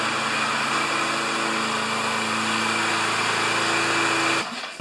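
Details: Self-propelled Lawn-Boy mower with Kohler engine, after carburetor cleaning, oil change, clean plug and new air filter: steady even high-pitched drone with no surging or misfire, then clean shutdown; runs normally after repair.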